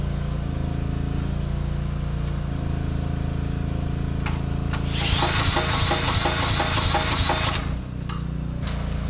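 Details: Briggs & Stratton 5,000 W generator long left sitting, after carburetor cleaning, broken coil: catches and settles into a steady, even low drone, no knocks or misses, some smoke; healthy.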